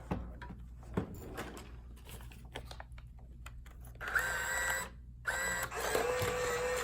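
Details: Coinco bill validator (BA/Mag/MagPro/BillPro series) on normal power-up: a few light clicks, then two short motor whirs; the transport sounds smooth, and the light coming on afterwards means it tested fine.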